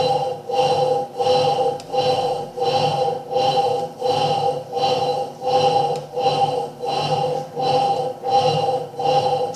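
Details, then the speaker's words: Electrolux Turbo Limpeza washing machine in the workshop, very noisy while washing: whirring growl rising and falling with each agitation stroke, about 86 a minute; technician identifies motor bearing noise (not mechanism bearing). "esse barulho é um barulho de rolamento de motor eu sempre peço os alunos e os que assistir meu canal para que entendam e que reconheça barulho de rolamento de motor e barulho de rolamento da mecânica"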